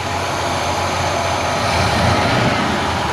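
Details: Cadillac 472 big-block, first runs after timing chain set replacement, which removed a front-of-engine tick heard as revs wound down: steady full roar, no tick or rattle; healthy timing chain.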